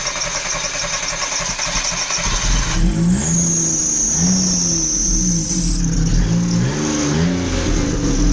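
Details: Daewoo Matiz small petrol engine after welding repair of the muffler (glushitel) and exhaust pipe: starts and revs in short blips, exhaust note even and subdued with no rasp or blowing; normal exhaust sound after repair.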